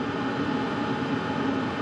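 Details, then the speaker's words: BougeRV diesel heater, after running about 2 hours heating under RV skirting (17.5°), turned up to level 5 full power: even, steady roar with the fan wound up. Louder, but no surging or rattles. "It's going full blast. There we go. It's starting to wind up now. Still not too bad. Definitely louder."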